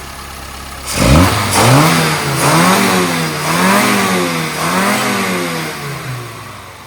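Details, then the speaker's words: Engine after carburettor rework (changed to BCF needle, dashpot oil changed) and recurved replacement distributor, strong mid-range torque: several sharp throttle blips rising and falling cleanly, aggressive, no hesitation or popping; normal revving, well fuelled. "So, as you can hear, it's quite aggressive."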